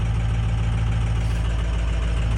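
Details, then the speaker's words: 1973 Ford F700 truck, old worn 6-liter diesel, cold start in winter, letting it warm up: the engine still kicks into high idle, a steady, even raised-speed diesel rumble with no knocks or misses; a normal cold high idle. "See what happens. Shoot. She still kicks in the high idle."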